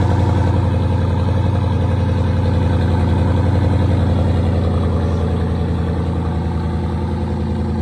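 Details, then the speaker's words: 2014 Jeep Grand Cherokee SRT 6.4L 392 Hemi, 50,000 miles, ran rough after a burnout, check engine light on, tune removed: steady idle with a deep, regular bottom-end knock about three to four per second. Cause suspected, unconfirmed. "So it's running with the noise in the bottom end of it."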